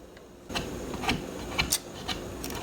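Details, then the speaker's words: Garrard Zero 100 S turntable, thought to date from about 1976, run on its side: light irregular clicks and clunks as the auto-cycle gears step through, no grinding or binding. "I think we have the mechanism going. Sort of got to work it through while it's on its side. We can see some of the functions here."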